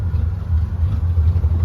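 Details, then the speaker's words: 1934 Plymouth Standard 6 flathead, started after retarding the timing, now idling on its own with a deep steady thumping beat and slight unevenness; clutch slips a little, charging, fuel and oil pressure present, 185 degrees. "It idles! Clutch slips a little."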